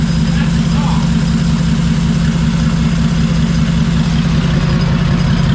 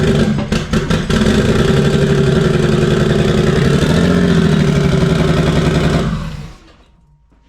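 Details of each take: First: Freshly fitted Barra six in a drift car, first start: deep, even rumble at idle with no knocks or misses; pulling one spark plug lead didn't kill it, oil pressure present. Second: Freshly rebuilt Barra engine in drift car 'Penny' at first start, with fuel fittings still loose: loud, lumpy idle with an uneven stumbling beat and a gap in the firing rhythm, shaking; one cylinder dead, running on five.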